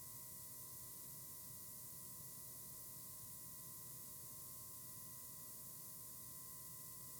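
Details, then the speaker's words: YC Onion motorized camera slider running at about 30 speed, near its slowest, where it can sputter and stop at the ends: very quiet steady hiss with a thin high whine; the motor hisses or screeches below 50% speed. "when it's at the slower speed the motor actually tends to hiss or hum"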